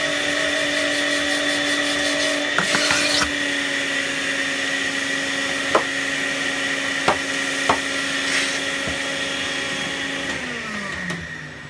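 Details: Panasonic MC-UG304 2000 W upright vacuum cleaner, clogged, with reduced suction: a steady high motor whine with chattering and clicks from the head, then the motor spins down; choked airflow suspected.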